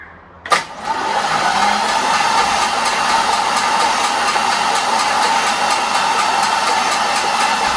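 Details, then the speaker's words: 1961 Mercury Comet, first crank via jumper cables on the starter from a weak battery pack: the engine turns over slowly with a light, fast ticking that the owner thinks comes from the flywheel. Source not confirmed. "That ticking sounds like it's coming from the flywheel more than anything else. So, but yeah, it cranked over."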